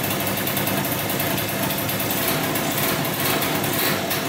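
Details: 2003 Polaris Sportsman 90cc two-stroke ATV, first start after new piston, cylinder and oil pump, on about 40:1 premix for break-in, smoking a lot. Steady crisp even buzz, no knock or rattle; normal two-stroke idle.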